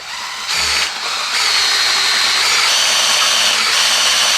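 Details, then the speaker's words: Keith Black aluminum 572 Hemi on the build stand after heads, rockers and pushrods were installed, oil system primed with a drill and new gauges fitted: steady high drill whine settling to an even load without stalling, lots of oil flowing; normal priming. "these things just a lot of oil going through there, folks."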